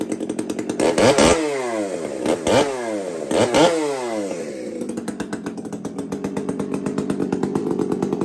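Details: Two-stroke chainsaw (Kenzie's), just after first start: three crisp throttle blips rise and fall cleanly, then a steady, even rattling idle; engine sounds healthy.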